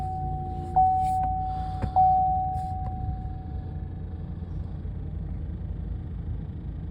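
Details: Chevy 6.0 V8 truck after new plug wires on cylinders 1 and 3 and a new ignition coil on 3 for a misfire: steady, even low idle rumble with no stumble, sounding better.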